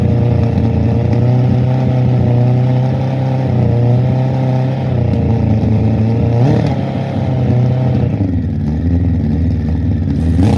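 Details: Suzuki Bandit 1200 SK4 four-cylinder after carb cleaning, fuel in tank, not yet warmed up: revs climb sluggishly and sag on throttle blips instead of picking up cleanly; still bogging on acceleration, cause uncertain, to be retested warm.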